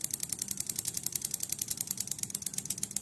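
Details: Homemade injector/fuel-pump tester built around a 5-pin relay, powered from a supply, speed set by an external Honda Beat TPS (about 5K), dry with no fuel: sharp metallic clicks about a dozen a second, slightly uneven spacing; normal injector clicking.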